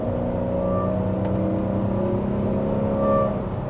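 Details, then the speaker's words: Porsche 928 V8 with automatic gearbox on I-95, homemade exhaust with a welded-in resonator and no catalytic converters: deep V8 drone with steady tones swelling as the throttle opens. Loud open exhaust, engine pulling cleanly. "And it hasn't got any cats. Hasn't got any cats. So, the sound is absolutely fabulous. When you put your foot down, you hear it."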